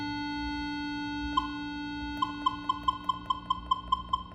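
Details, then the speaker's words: Minelab Equinox 600/800 metal detector with volume at maximum (25) and the threshold level raised: a steady faint background tone holds, then quick short beeps about twice a second. A deep target would alter this threshold tone. "esse ruído por exemplo se tiver um objeto lá que esteja bem profundo se você tiver com esse tom de ruído bem levado quando você passar o a bobina em cima esse sonho vai alterar"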